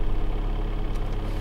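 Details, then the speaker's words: 2007 Toyota Avensis 2.0 petrol automatic, 226,000 km, after replacing the timing-side engine mount: revs settling down to an even low hum with practically no vibration, no shudder or knocking; normal idle. "вот обороты понижаются вибрации практически"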